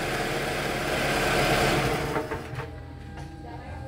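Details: Toyota Camry that would not crank or start, after the starter motor's damaged ring gear was replaced: a loud busy whir for about two seconds, then it settles into a lower even run. The starter cranks cleanly and the engine catches.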